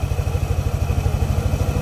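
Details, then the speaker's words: Yamaha Aerox scooter after CVT replacement: even low puttering idle, steady rhythm, belt smooth with no shudder or flapping at idle; normal idle. "Ang ganda ng takbo ng ano niya, ng belt, pinong-pino, wala siyang pagpag. Hindi siya pumapagpag pag naka-idle."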